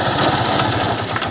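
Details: Honda Unicorn motorcycle idling with a fast, rattly chatter over the engine beat, pointing to a worn gearbox bearing; clutch-side bearing to be checked first by opening the clutch cover.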